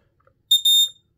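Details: Kidde smoke alarm tested after battery replacement; short, loud, piercing high-pitched chirp burst, clean and strong, alarm sounding normally.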